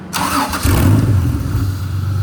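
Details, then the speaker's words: Honda J35 V6 in an RFR two-seat sandrail after fixing the fuel delivery, run without coolant; catches quickly and settles into an even, smooth low rumble with no misfire, all six firing, though three injectors are bad and the fuel is very old. "Oh, much better. Sounds like she's running on all six."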